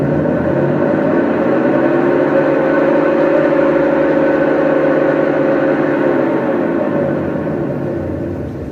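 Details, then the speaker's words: Washing machine on spin: loud droning roar with a humming tone, like an aircraft taking off; worn drum bearing. "Olá pessoal um barulho de um bem chato viu bem chato mesmo isso aqui dentro de um apartamento não tem quem aguente viu"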